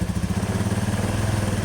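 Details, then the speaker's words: Scooter CVT after repairing the worn roller housing bushing: soft, even low idle pulse with the earlier rattle gone, nearly silent even when revved; repair successful. "I berhasil ya, Kawan-kawan ya. sudah senyap sama sekali tidak ada bunyi korok-korok seperti tadi."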